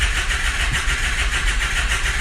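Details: Diesel, likely glow plug equipped, no glow plug codes: starter churns with quick, even compression pulses about six a second and no firing; cranking but not starting, compression sounds good, suspected logic-side failure, cause not confirmed.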